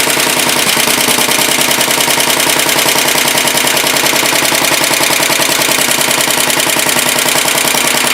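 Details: 1967 Sears Suburban 10 garden tractor, first start after repairs: small single-cylinder engine at a steady even chuff about two per second, no knocks or misses; normal idle, though idle too low to charge the battery.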